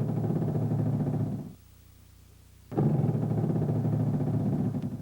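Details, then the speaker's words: GM hydraulic power steering (HPS) shudder: low pulsing squawk-like groan with steering wheel vibration when steering lock to lock at idle or low rpm; possibly caused by pressure hose restriction or low expansion, worn or underinflated tires, suspension springs. "O tremor é uma vibração notada no volante, acompanhado de um ruído semelhante ao grasnado quando se esterça de batente a batente, com o motor trabalhando a baixas rotações ou marcha lenta."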